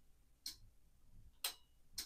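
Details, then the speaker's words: A control panel relay driven by a normally open float switch gives three crisp, dry clicks, one each time the float flips, while its indicator changes; the relay is operating normally. "do you hear that relay clicking do you see the indicator changing so we have an operational relay that's run by a normally open float switch"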